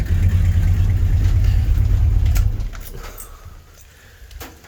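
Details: 1983 GMC C3500 one-ton 2WD crew cab with the 350 V8 (not the 454), cranked up after sitting a while at parents' house: heavy low uneven chugging, about three pulses a second, fading out; rough running, to be addressed later.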